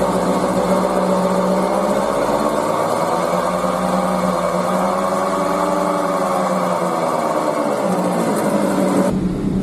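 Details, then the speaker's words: Hyundai car wheel bearing, heard from inside while driving: droning hum appears around 40 km/h and grows loud at 50–80 km/h, swelling with speed; bearing worn and dry from lost grease, being replaced. "其实我们在里面就可以听得到，大概在这个车速表在40左右，就会有这个响声。刚才可以看到车速在40左右，就这个声音就会出现了，然后到50、60、80的时候，这个噪音相当大，所以现在开起来都很难听。"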